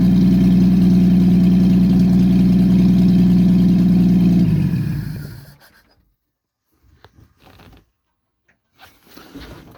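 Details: Engine with aftermarket Monojet carburetor freshly installed, exhaust off, start after about 3 weeks sitting; loud low lumpy idle pulsing about four per second, raw and uneven, then shuts off; rough idle, owner suspects idle or mixture needle setting.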